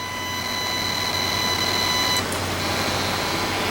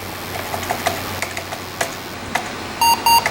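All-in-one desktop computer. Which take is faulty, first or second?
first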